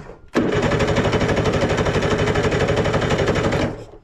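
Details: 1970s Wetco Wetbike that sat 25 years, after a coil swap restored spark, carbs off, on starting fluid with the intake restricted: a sudden burst of rough popping at about four beats a second holds three seconds, then dies.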